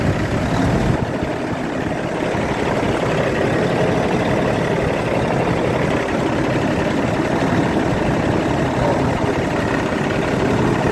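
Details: Kenworth diesel truck unused for a long time, after starting-fluid spray, fuel filter/water separator suspected packed and leaking: steady even idle, low constant rumble, no misses or knocks; runs smoothly after starting.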